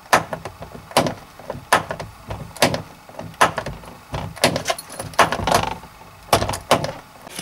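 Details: Jeep Cherokee XJ door: repeated sharp clunks with a pop each time the door swings, about one per second; worn door check, fix is replacing the pin and check piece or ideally the whole mechanism.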